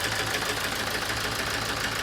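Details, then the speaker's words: 2007 Toyota Avensis D-4D diesel with low power, ticking and a flashing engine light. Injector 2 is unplugged as a test, giving a P0200-type fault: an uneven, lumpy idle with irregular knocks and a stumbling beat, clearly worse. "so let's start and see if we can start on two cylinders definitely worse now"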